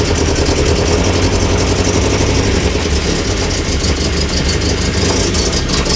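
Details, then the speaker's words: Classic car just restarted after being moved, coolant being run through: loud, low idle with an uneven, shaky beat that never settles; rough idle, cause not yet known, all engine mounts worn out and engine jumping around. "idling a bit rough. The engine mount's dead. All the engine mounts gone, guys. The engine idling a little rough."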